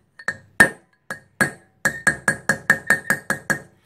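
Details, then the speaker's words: Boat trailer hub bearing outer race being driven in with a socket and hammer: about a dozen taps, the later ones quicker with a clear high ring, showing the race is fully seated against the shoulder. "that tells you that the bearing is home, that's against the shoulder."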